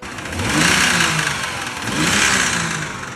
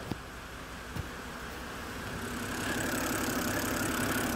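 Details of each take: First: 2011 BMW 328i E93, just bought, revved twice from idle: a rough, uneven knock rides under the engine as it climbs; rod knock confirmed by the oil filter, and the engine later threw a rod. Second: 2011 BMW 328i E93 N52 after engine replacement, first run with no cooling system fitted: catches and settles into a smooth, steady idle with no knocks or misses; no check engine lights and no fault codes other than gearbox oil wear. Normal idle.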